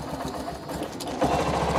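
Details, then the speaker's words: BS6 Honda Shine after fuel pump replacement, half a litre of petrol and pump pressure checked, electric start: about a second of starter chatter then the engine catches and runs evenly at idle; normal start. "Start हुई थोड़ा idol पर छोड़ेंगे ताकि इसका RPM perfect हो"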